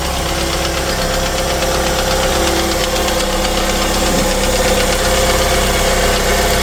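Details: Chevrolet Lacetti after water pump replacement, belt refit and antifreeze refill: smooth, steady idle hum with no knocking or rattle; engine runs quiet and even. Normal idle.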